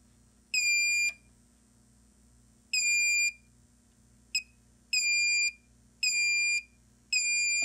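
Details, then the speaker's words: Xantrex pure sine wave inverter on a six-module Nissan Leaf battery pack, after supply voltage raised past its 32 V high shutdown and backed to 27 V: loud high-pitched beeps over a low hum; latched shutdown fault alarm. "So we have a fault, now we're back at 27 volts, so we're good, but the inverter said, hey, there was a problem, I'm gonna shut down."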